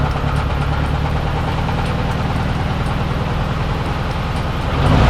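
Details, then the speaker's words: Nissan S13 200SX CA18DET after breakdown, timing reset and running again: low rough, lumpy idle, likely because the cam angle sensor (CAS) is not yet set correctly; needs adjusting. "as you guys could hear the idle sound a little bit rough um that is more than likely because now um the chaos isn't obviously 100 on point"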